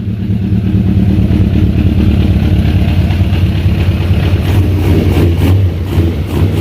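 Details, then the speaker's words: 2001 Suzuki Katana 600 four-cylinder after fuel delivery and misfire fix, carbs filled and open vacuum line capped: idling then blipped with a firm even burble, no stumbles; running on all four cylinders. "Oh yes. Oh, I can tell the difference. 100% running on all 4. Not even a question. 100% running on all 4 cylinders."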